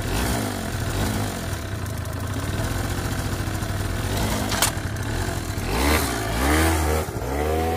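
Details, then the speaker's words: Suzuki Let's scooter two-stroke after cylinder/piston repair with used rings and piston, compression from 0 to 6 atm, first start after replacement; buzzes steadily and revs crisply, runs better but still won't hold idle without idle screw adjustment. "Ну, теперь работает лучше. Кажется, стало лучше, но холостого хода по-прежнему нет."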